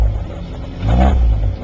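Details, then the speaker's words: 1969 Austin-Healey Sprite after top-end rebuild with new head, Stellite valves, bronze seats: quick clean rev blip rising and settling smoothly with no knock or miss; runs great. "But it runs great, ready to go. Of course, the acoustics on YouTube stink with this camera, so I don't know what you're hearing, but the engine sounds great, looks great."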